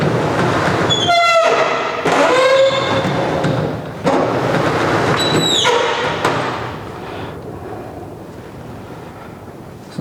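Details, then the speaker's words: Roll-up garage door, after white lithium grease on one rusty spring: repeated shrill squeals rise and fall each time the door moves, over a rumbling roll; improving, though the owner fears the spring is too far gone. "you can see it's definitely getting better i'm hoping that spring is just not too far gone because it is awfully rusty"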